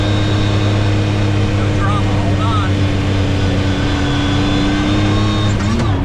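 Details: 2019 Yamaha YXZ1000R SS side-by-side, 5-speed sequential paddle-shift gearbox, cruising on a neighborhood drive: steady mid-pitched whine over the engine drone, holding even; normal straight-cut gearbox whine, nothing wrong.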